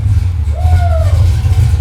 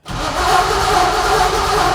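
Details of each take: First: Junkyard 6.0 LS truck engine (cam kit, Tremec TKX) in a '64 Nova, first fire-up with the new exhaust and mufflers: deep, even V8 rumble with a brief whistle, sounding smooth and healthy; normal running. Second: '64 Nova with a junkyard 6.0 LS and Tremec TKX: steady starter cranking about four and a half seconds with no catch; cranks but won't start, likely because the chosen ECU power wire is cut off during cranking.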